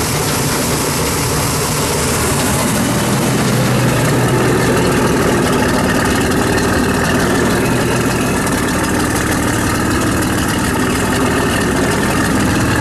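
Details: Shoal Runner jet boat engine running on a hose after being swamped with rainwater and mothballed: a steady idle with an uneven knock about three to four per second. The owner suspects the pump-drive u-joints or a seizing front shaft bearing rather than the engine; unconfirmed.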